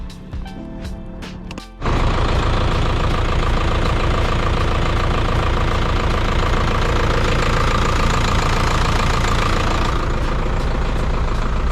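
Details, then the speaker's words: 2002 Isuzu NPR HD diesel flatbed, ex-landscaping truck that sat unused over two years, cranked up: it fires at about two seconds and settles into a steady, even diesel clatter at idle with no misses or knocks; sounds good. "There She Goes man sounding good"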